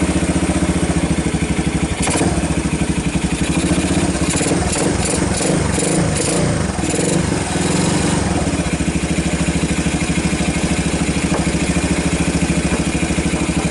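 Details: 1990 Kawasaki Bayou 220 junkyard ATV after cold start, carb replaced, recoil starter rebuilt, good compression, on choke: steady, even single-cylinder thump at constant speed, no misses, knocks or hunting; sounds good, charging the battery, a little smoke.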